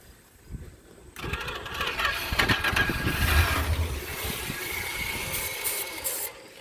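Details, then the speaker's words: 1976 Chrysler Newport after about 8 years sitting, starting fluid sprayed down the carb, weak starter: engine catches, sputters unevenly for a few seconds and dies; fires but will not stay running. "Dang it. Come on, stay running, you turd. That starter's weak. Dang it. Just does not want to stay running."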